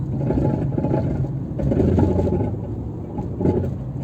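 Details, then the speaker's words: 2004 Toyota Corolla driving on rough road with worn-out suspension: road rumble with repeated knocks and rattles over bumps, before planned replacement of the sway bar links, struts and control arms. "It's a lot of noise. The suspension is shot."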